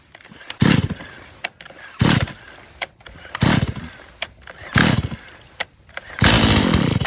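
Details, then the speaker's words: Stihl MS 180 C chainsaw on 93-octane gas and synthetic oil mix, 100% cold after sitting overnight, full choke: about five pull-start bursts, each a short pop as it tries to fire, showing it is primed and fueled. "and you hear it pop like it tries to start that means it's primed it's fueled"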